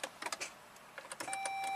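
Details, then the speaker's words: 2006 Saab 9-3 V6, six-speed manual, key on, clutch in, cranking: a few loud dry clicks and a steady warning chime but no cranking. Starter had bench-tested fine; the cause was a tripped starter circuit breaker. "I heard a loud click like the starter solenoid engaged so is it going to be simple as a bad starter"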